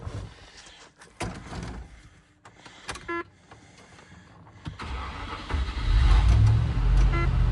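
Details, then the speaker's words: 1996 or 1997 Range Rover P38 HSE V8 barn find, after a rev: idle fails to settle, low rumble swelling and wavering; unstable idle, cause not yet clear. "seem to want to idle now well there we go was just been a Range Rover for a bit"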